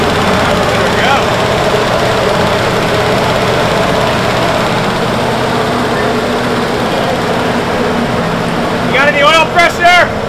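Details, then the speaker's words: 1973 Buick Electra 225, 455 cu in V8 with 90s speed parts and nitrous, sat in a garage 15–20 years; fired on the ninth try after carb cleaning. Loud, steady, smooth V8 idle, even rumble, no misses or knocks; normal idle. "She fired after, well the ninth time, fired right up. She's ripper. Sounds good. Smooth."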